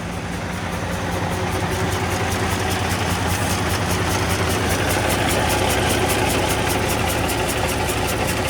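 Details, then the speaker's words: Kenworth W900 diesel after new head and injectors fitted (injector hold-downs torqued 59 ft-lbs) idles lumpy with an uneven exhaust beat, a cylinder dropping out; sounds like a leaking valve, owner suspects injector racks out of adjustment or loose. Rough idle misfire. "look still miss yeah she's not happy you can hear the exhaust it's like it's got a valve leaking"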